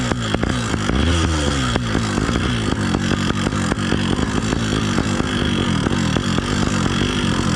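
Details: New Phantom 85 two-stroke motorized bike riding under load during break-in on 32:1 full synthetic: raspy exhaust with harsh metallic rattle; owner first suspected rich mixture or timing, found engine mount vibration.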